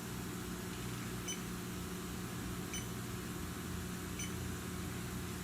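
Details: Hyundai Elantra AC that lost its charge, running with the system circulating, leak sniffer checking the hoses: slow, even ticks about every 1.5 seconds over a running hum, never speeding into an alarm; no refrigerant leak here.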